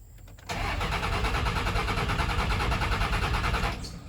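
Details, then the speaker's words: Cummins 24-valve truck after a wreck: starter churns steadily about three turns a second for three seconds, engine never fires; cranks without starting, owner suspects fuel starvation from a too-short tank pickup with low fuel. "yeah, she ain't gonna run."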